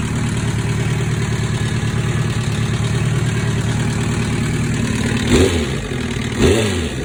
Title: 2005 zx10r rattle noise